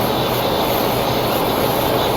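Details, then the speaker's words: 3.6 L engine with code P0507, idle speed higher than normal (about 700–800 rpm expected): a constant airy hiss over a raised idle that changes when the hoses are moved. Vacuum leak at the PCV valve hose. "I hear a vacuum leak. That is idling higher than normal."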